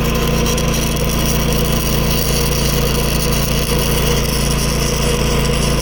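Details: New Predator 11,500 W inverter generator powering a Chinese inverter welder: a loud, steady engine hum holds even speed while loaded, with no hunting or dropouts. It runs normally under welding load.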